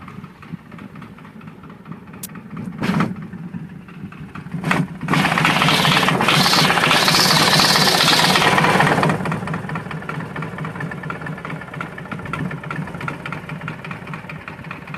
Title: S and S 80 evo knocking sound ??